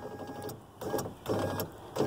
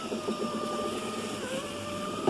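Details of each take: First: 2001 Chevy Venture door with a previously replaced window motor: three short buzzing bursts with no glass travel, the motor just vibrating because its mounting clips are broken off; fixed with a mount repair kit. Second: 2001 Chevy Venture power window after Dorman 924-072 motor mount repair and tightening screw: three clean cycles, steady even motor whine ending in a firm stop click, no grinding or skipping; slight flex remains, fix appears successful.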